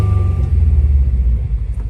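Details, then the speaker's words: 2015 Subaru WRX turbo at idle, deep rumble with an uneven stumble, a slight misfire traced to cylinder 3, engine shaking a little. "You can see is a slightly misfire and I recheck it is a number three engine is just a shake a little bit."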